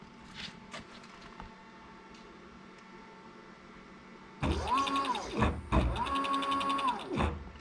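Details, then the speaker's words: Late-1970s Bridgeport Boss 5 CNC knee mill retrofitted with a Masso controller and Gecko G203v drivers: smooth drive whine rising and falling through three X-axis moves, with light clicking that is a feature of the mill; normal motion. "right now we have the machine runs really smoothly a little clicking you can hear is actually just a feature of this mill"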